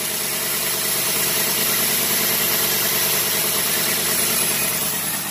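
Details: 1990 Cadillac Sedan DeVille, timing just set to 10° BTDC, with a bare exhaust leak at the air tube near the cat: even, steady idle with a smooth rhythm and no missing beats; it is idling properly.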